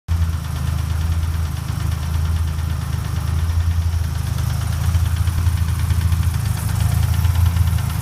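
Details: Ford Ranger 4.0 OHV V6 idling with a steady deep knock in time with engine rotation after being hydrolocked; rod knock suspected, not confirmed.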